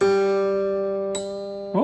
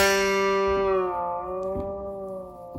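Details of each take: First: Guitar plain string creaking in a soft plastic nut slot: ringing note broken by a sharp click and creaky slide while tuning, persisting after graphite lubrication; creaking blamed on the soft nut material, replacement recommended. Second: Guitar plain string that creaked at the nut, after the nut slot was cleaned and lubricated: one clean plucked note rings out and fades smoothly with no creak or tick; the string now moves freely in its nut slot.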